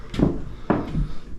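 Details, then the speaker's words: Subfloor squeak: stepping onto unscrewed subfloor in a master bedroom, carpet removed, foot on joist lines; dull boot thuds with creaking crunch and groaning from plywood/OSB moving on joists because nails no longer hold; screwed sections stay quiet. "And there starts the squeaks, the crunching and groaning."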